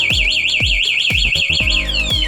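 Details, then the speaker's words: New GPX Drone scooter with an MAS anti-theft alarm: the key slot is forced to try to start it, a loud fast warbling siren with sharp repeating chirps sounds and the system cuts power so it cannot start; alarm triggered by ignition tampering. "และเมื่อกี้รถร้องแบบนี้ครับให้เรากดล็อคไว้ก่อนครับ"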